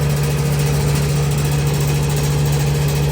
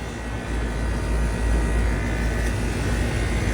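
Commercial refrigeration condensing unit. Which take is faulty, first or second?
first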